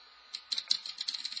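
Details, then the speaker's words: ABS M1 mechanical keyboard spacebar after the squeak fix, done by levering the switch offset and letting it reseat on each side: light, crisp key clicks with no squeak or drag. Normal keyswitch operation. "once you do that you'll notice the squeaking is gone"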